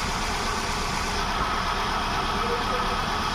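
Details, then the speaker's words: Hyundai Venue, P0300/P0301 codes, unstable rpm: rough uneven idle with lumpy rumble and missing beats; injectors 1 and 2 get no current from ECM, fault inside ECM, fixed by ECM repair. "तो friends आप देख सकते हैं अपना एक और दो में तो करंट नहीं आ रहा है ये अपना वोल्टेज जरा सा भी"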